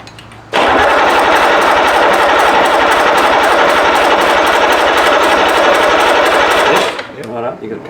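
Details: Rebuilt BMW D190 marine diesel, previously seized and sunk, first-start attempt while the lift pump is primed: loud steady cranking with about three compression beats a second that never catches; turns over but gets no fuel.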